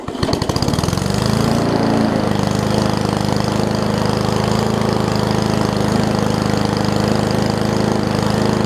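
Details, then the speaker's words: Old Murray push mower with a Briggs Classic engine and an apparently missing governor spring. With the rpm adjusted, it catches and settles into a steady, fairly brisk chug with even firing and no misses; the rpm is now fixed and it runs normally. "if i just want to pull this throttle out a little bit more just so that it has a little bit more of an rpm to it"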